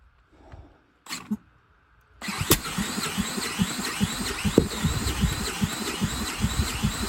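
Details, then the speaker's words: 10,000-watt generator started with a drill after an oil change and a swapped spark plug, choke turned off: catches in uneven, sputtering bursts about twice a second and never settles; fires but won't keep running. "wow sounds like it wants to go poor drill oh sounds like it wants to go"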